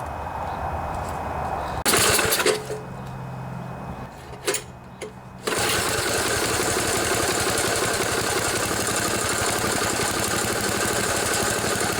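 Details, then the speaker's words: 1974 Sears Craftsman Rotospader rototiller, Tecumseh engine, new carburetor fitted after long barn storage, air filter off: engine catches after a few pulls; sputters lean as the mixture screw is turned, then set to a fast smooth buzz. "that's good you can hear it's starting to sputter as i move that's pretty good right there"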